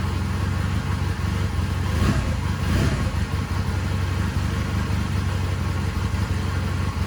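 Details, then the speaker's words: 1999 Honda Rebel 250 dual-pipe motorcycle, first start after sitting with oil put in the cylinder, choke off and idle raised: low, steady thumping idle with no misses or knocks, running like a sewing machine. "Check that out, man. That was awesome. That is so cool. I mean, this thing sounds like a freaking sewing machine."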